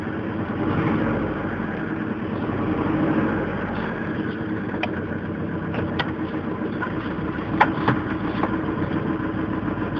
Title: 1998 Mazda Protege Engine Knocking...